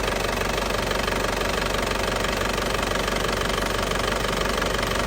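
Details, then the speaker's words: 2007 Isuzu Panther LS Turbo diesel, 98,500 km, engine warm, no smoke, none from dipstick: even diesel clatter about four beats per second, no knocks or hunting, engine sounds very smooth at idle. "masih suaranya masih pulen banget ya, masih suaranya masih pulen banget ya, suaranya mesin masih pulen banget."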